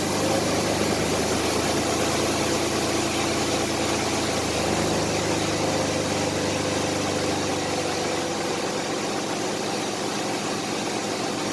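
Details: 1993 Chevrolet S10 4.3 V6, 150k miles, after first tune-up in about 20 years (plugs, wires, cap, rotor, air filter): even steady idle with no misses, knocks or ticks; normal idle.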